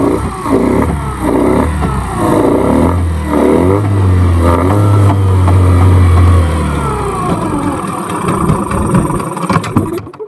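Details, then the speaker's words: Yamaha 15 hp outboard, hot engine, spark plug already replaced: several rough cranking pulls, brief uneven rev that sags and dies, dies when put in gear, compression intermittent; hard starting from clogged exhaust and stuck piston rings. "Kita akan start lagi, lalu kita lihat. Mesinnya sangat susah hidup walaupun di posisi panas."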